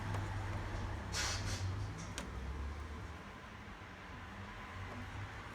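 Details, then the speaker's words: Beko washing machine after the PCB was repaired by resoldering, on a spin and drain program with no water: the drain pump runs with a quiet, steady hum and light clatter. The pump works normally. "That's the pump working. There's no water in it. This is just a quick test."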